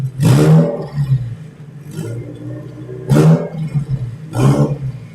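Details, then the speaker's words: 2002 Bugeye Subaru WRX, JDM EJ20Y on ethanol, GTX3076R turbo, Link G4X, pulling toward 7,000 rpm under boost: loud sharp rasping chuffs over the roaring engine; a bad exhaust leak, suspected pre-turbo. "It does have nasty exhaust leak though. Holy [ __ ] Sounds like a pre-turbo leak."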